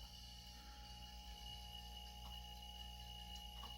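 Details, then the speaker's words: Microjet MID fridge-motor compressor, 110 V, 15-litre tank, filling toward 100 before cutting off: very quiet, steady hum with a faint high tone like a household fridge; compressor running normally. "Só para vocês terem ideia do barulho, ó. É o barulho da geladeira da casa de vocês. Isso enquanto ele está trabalhando para encher aqui, ó."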